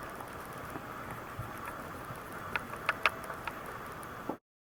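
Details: Canon ELPH 310 HS camera clicking while recording video: faint scattered sharp mechanical ticks over quiet hiss, picked up by the camera itself; to be sent to Canon for repair, owner fears a design flaw.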